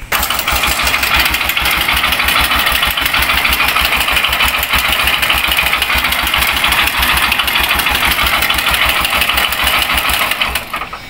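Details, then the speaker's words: Honda CB125 single idling with a loud metallic clatter over a steady low thump, then shutting off; worn timing chain roller and loose light timing chain slapping, plus a failed connecting rod; engine to be opened. "kalbo na yung roller dito yung light timing chain niya maluwag kaya Pumapag pag and then connecting rod sirah na connecting rod nito mga Bossing"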